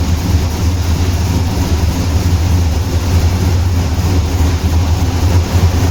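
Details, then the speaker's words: Turbo Pontiac Trans Am started after years, running outside on 15–20-year-old fuel after the distributor was reinstalled and ignition timing set with a lamp: deep, steady low rumble without misses or backfires; now running well. "I'm outside now, and I was setting the timing ignition with the lamp, and now I think it runs pretty good."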